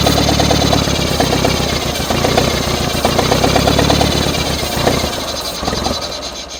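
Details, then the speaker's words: 1963-64 John Deere 1010W tractor, sat 18 years: rhythmic cranking about four beats a second, never catches; runs on ether but not pulling fuel, owner suspects a plug in the fuel system, carburetor to be removed. "I'm not pulling any fuel. I've got to find a way to pull some fuel."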